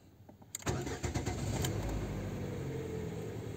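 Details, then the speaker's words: Lada Vesta after replacing the fuel pump's coarse and fine filters, pump primed several times with ignition: starter cranks briefly, engine catches at once and settles into a smooth, even idle with no misses; normal start and idle. "сейчас еще пару раз прокачаем и запустим двигатель пробуем запускаем двигатель чётенько"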